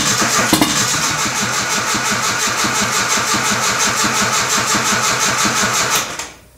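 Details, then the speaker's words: Nissan 240SX KA24E turbo on MicroSquirt ECU, first start: catches, runs ragged about six seconds then dies; injector size set wrong in the tune, throttle position sensor reading high; later missing a cylinder or two. "definitely scared me throttle position sensor is up that's for sure this is Yoshi's tune so I didn't have the injector size right try this again"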